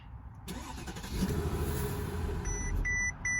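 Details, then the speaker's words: 2007 Mercedes-Benz S550 base model with a failed fuel pump, before any starting fluid is sprayed: it cranks, catches briefly with a rough rise, then dies to warning chimes; it runs only when starting fluid is sprayed into the intake. "so you know what you're looking for okay so this is what it'll sound like if your fuel pumps out"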